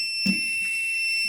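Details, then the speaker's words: Pen-type non-contact voltage tester on high sensitivity held near a wall plug: steady high-pitched electronic tone after a sharp click, alerting to a live wire. "or near a plug, and if you got live wire in there, you hear how that beeps. If you got live wires, it's gonna beep like that."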